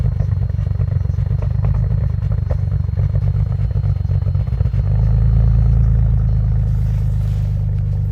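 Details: 2001 Audi allroad with F21 turbos, base stage 3 file and 85mm MAF, cold start at 15°F: loud idle lopes and stumbles unevenly, then settles to a smoother, higher hum after a few seconds; rough cold-start idle.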